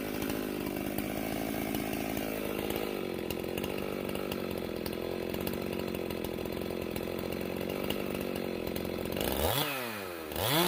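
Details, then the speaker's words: Stihl MS391 chainsaw after hanging-idle fix, muffler mod and retune (about 12,200 rpm, limiter 12,500): steady idle then a crisp quick blip straight back down; throttle response much better. "now we got this little hanging idle issue fixed that was uh frustrating the ever living daylights out of me but i feel like we found the issue so the throttle response is so much better with this thing muffler opened up"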